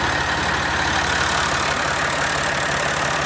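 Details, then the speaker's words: 1998 Massey Ferguson 240S with 232 loader and 2,000+ hours, Perkins 3-cylinder diesel, idling with rear hydraulics engaged. Steady, even diesel clatter and low drone with no irregular knocks; healthy. As a mechanical tractor it runs key on or off until the fuel cutoff is pulled. "and turn the key off as a mechanical tractor so it will continue to run key on or key off"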